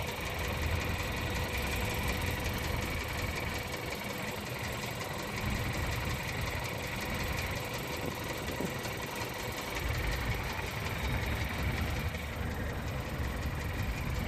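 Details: Skoda Octavia A7 1.2 TSI, 47,500 km, no dashboard errors: steady idle with light, fast knocking in the engine note; hesitation and clanking under load that vanish after a few 2nd-gear runs to 3500–4000 rpm; cause undetermined.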